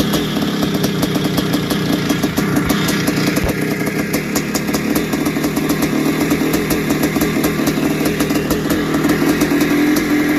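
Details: Barn-find 1981 Suzuki RM465 two-stroke, first start after fuel down plug, heavy smoke: fast busy running at steady revs with dry metallic rattle; owner suspects tired top end, possibly blown main seals, unconfirmed.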